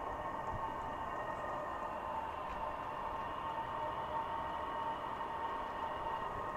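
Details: New SILVEL 8kW 12V diesel air heater warming up just after first start, air not yet warm. An even, airy rush with a faint steady whir and no knocks, surging or misfire pops: running normally.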